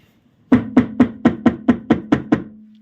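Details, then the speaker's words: Audi A6 C5 on stands, wheels straight: tie rod tapped downward gives nine sharp hollow knocks at about four or five a second, a steering rack knock from play in the rack. It occurs only on downward strikes; the left side and upward strikes are quiet. "Вот он, этот звук. Стук в рулевой рейке слышен именно в нижнем положении."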